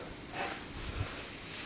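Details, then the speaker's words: Portable REDATS tire inflator/compressor holding 8 bar after repeatedly cutting out at 8 bar: with the tank settled, a faint steady hiss continues from the small valve, a slight air leak. "No to mamy 8 barów i coś tu delikatnie jeszcze z tego zaworka syczy"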